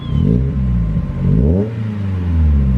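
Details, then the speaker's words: Mazda Miata warmed up to temperature and revved: it rises and falls smoothly with a deep, even exhaust note, nice and smooth without being too loud, no misfire or rattle. Healthy. "it's got a pretty good sound. That's nice and smooth without being too loud."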